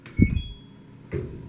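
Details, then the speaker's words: LG DLG2526W dryer on Normal cycle: short start beep, then a dull thunk as if trying, drum never turns; sometimes starts if drum spun by hand. Owner suspects relay or motor, unconfirmed. Fails to start. "did you hear that it was a little thunk I'm gonna do it again you hear that little thunk like like it's trying"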